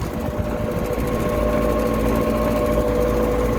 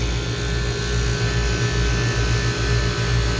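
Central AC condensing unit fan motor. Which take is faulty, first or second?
first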